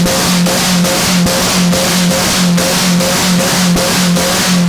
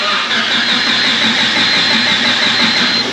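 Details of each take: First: Honda after welding all over it with the battery still connected: the engine revs cleanly with an even pulse, then the pitch drops smoothly as it settles; it runs strong with no misses or knocks. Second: Honda after welding, smoke seen from the ECU area: loud continuous starter churning, fuel pump heard, no firing or catch; crank no start, ECU likely fried.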